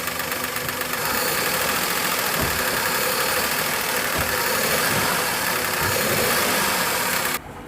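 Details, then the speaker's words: Maruti Suzuki Wagon R K-series with CNG kit, idling: smooth on petrol, but after switching to CNG uneven idle with irregular thumps and stumbles, no check light; faulty CNG injector. Cylinder misfire. "और यहां पर CNG में convert हो गया और CNG में इसका missing ए ए है"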